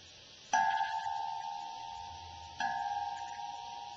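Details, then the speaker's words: KG4HSY 1-der 40 QRP transceiver kit through an amplified speaker: three light taps each set off a clear, steady ringing tone that slowly fades, gong-like microphonics from vibration. "uh there is uh some microphone that occurs with this rig but I think that just adds to the charm in fact I'll demonstrate that now"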